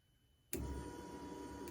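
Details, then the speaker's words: 2010 Chevrolet Silverado in-tank fuel pump jumped directly with power and ground runs with a steady whir and faint whine, so the wiring to the pump is good; owner suspects the fuel pump control module. "so the pump's running so we know our wiring from back here up to the pump is good"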